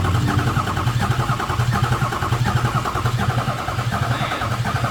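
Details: Cheapest 2006 Ford F350 4x4 6.0 Powerstroke diesel, non-running, new batteries fitted: steady pulsing churn cranking about eighty beats a minute, never catching. No oil reaching the top; owners suspect the front-mounted oil pump, possibly HPOP or injectors, unconfirmed.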